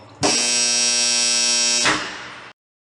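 A harsh, rattling electrical buzz for under two seconds: a contactor chattering because dirt keeps its core faces from seating.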